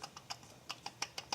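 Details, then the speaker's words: 2006 Suzuki Forenza timing belt broke at 40,000 miles, timing cover off. A stopped idler pulley is rocked, giving sharp light clicks about six a second from a worn bearing with side play. It did not cause the belt failure but will be replaced. "it does have a little bit of side play in the bearing so even though that wouldn't cause this here a problem with the belt breaking the the bearings is definitely going bad on it"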